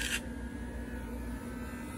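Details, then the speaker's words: Tomy Big Loader toy motorized chassis: small motor whirs at a steady unloaded pitch while the tires don't turn, indicating a broken internal gear. "I don't know if you can hear that, but the motor just keeps spinning, but the tires do not. It means it has a broken gear inside of there."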